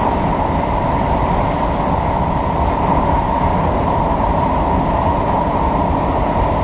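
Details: SMRT KSF A train C151A 563/564 entering a tunnel between Changi Airport and Expo: steady loud high-pitched screech over the rolling rumble, wheels squealing on the rail; a known issue on some of these trains.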